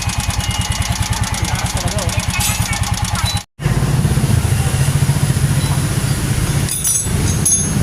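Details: A Yamaha motorcycle engine idles with a steady, rapid knock riding over the exhaust beat; engine knocking, shown alongside an oil leak repair.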